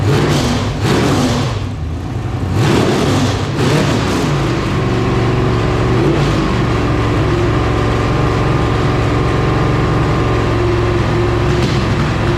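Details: Iron-head LQ4 6.0L V8 (1999–2000) with temporary exhaust fitted, checked for knocking: strong smooth revs climbing and falling back to an even idle with no knock or clatter; engine sounds healthy.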